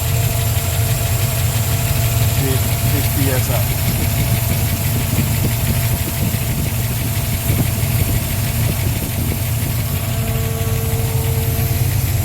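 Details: Mustang engine, cold, idling on new Holley Sniper electric fuel pump replacing weak 3–4 psi pump, with return line and Holley dead-head regulator: steady, even low idle, no stumbles, surges or misses. Normal idle.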